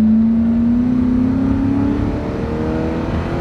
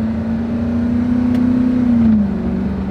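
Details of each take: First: Ford F-250 pickup with about 280,000 miles, road test: engine climbs hard under full throttle, then pitch drops abruptly near four seconds as it shifts; shift rougher under hard acceleration, having lost some of its horsepower. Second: High-mileage (~300,000 miles) Ford F-250, 5.4 L V8 with five-speed automatic, going uphill: steady drone drops cleanly at upshift, no slip or flare; shifts smoothly, transmission in good shape.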